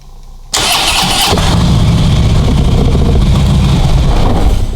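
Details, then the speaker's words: 2014 Harley-Davidson Ultra touring, in neutral, with won't-start-in-gear complaint: brief crank, catches at once and settles into a lumpy but steady V-twin idle, no misfire or clatter; starts and runs fine in neutral. "starts and runs fine"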